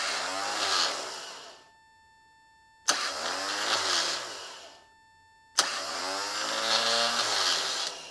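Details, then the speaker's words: Bench starter with a hard start relay installed: three short spins, each with a sharp click and a smooth whine winding up and coasting down, relay switching audible. Ignition-switch wire now carries about 0.2 A instead of about 7–8 A. Normal starter cranking. "Okay, it's working. Even over the starter motor, you can hear this in this relay switching internally."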